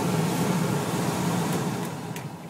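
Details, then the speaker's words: Toyota T100 truck, newly replaced heater blower motor under the dash behind the glove box (old one made a metallic high-pitched noise), key in accessory: smooth even fan rush and low steady hum, no metallic squeal or rattle, then spins down; normal. "put the key in turn it on accessory and test the test the motor got some good air coming out test the speed working good it's pretty"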